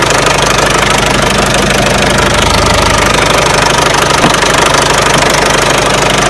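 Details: Peugeot 307 1.6 90 hp engine at idle: sharp regular ticking knock about three per second over steady idle; owner asks where the engine knock comes from, source unknown.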